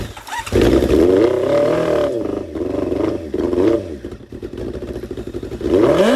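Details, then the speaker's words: 1987 Kawasaki GPX 750 barn find, sat for years, with spark plugs fitted, fed carb cleaner: uneven bursts of revving as the engine catches, stumbles and picks up again. It fires and runs briefly on carb cleaner. "OOPS, THAT WAS MY BAD. IT STARTS."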